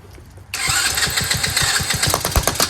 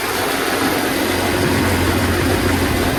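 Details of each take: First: Chinese Tao Tao 125cc ATV quad with new carburetor, on choke, throttle held: engine catches and chugs with uneven beats surging with throttle but won't hold idle on its own; idle screw set too low, to be turned in half a turn. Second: Revived Tao Tao 125cc ATV quad with a new carburetor, ignition switch, stator and pickup, ridden slowly in the rain. It keeps an even, steady, super quiet engine note under way with no misses, knocks or rattles. Running normally.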